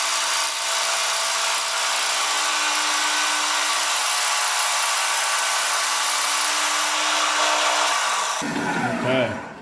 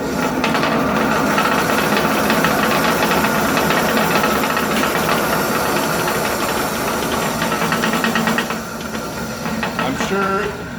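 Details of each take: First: Old 1970s Sprunger bandsaw, 14-inch wheels, new tires, after replacing drive belt with link belt: even steady cutting hiss with no thumping or rhythmic slap, quieter and smoother cut with reduced vibration. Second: 1970s Sprunger 14-inch bandsaw running unloaded with a loud clattering rattle and a rough pulse about three times a second, caused by a drive belt deformed oval after sitting about 20 years; replaced with link belt.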